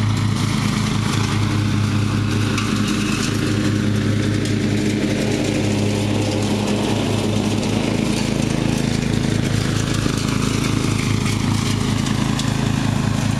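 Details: Murray riding mower, first run of the year after long storage and a mouse nest cleaned out; gas half full and not old, filter unchanged. The single-cylinder engine holds a steady, even beat throughout with no stumbling or cutting out; running perfectly.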